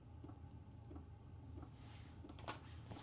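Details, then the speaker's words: Hcalory Toolbox Max 8 kW diesel heater (2025 upgraded version) run from a small battery pack in a garage: soft, regular clicks about every two-thirds of a second over a quiet hum as the fuel pump kicks in at start-up; normal, quiet clicking. "You hear the clicking noise. If you can hear it. So, the fuel pump is kicking in now. Not loud at all. If I was in a tent, I wouldn't even hear it."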